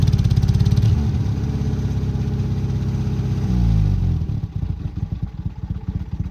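Old petrol engine idling with a lumpy, uneven beat, one cylinder dead and missing fire.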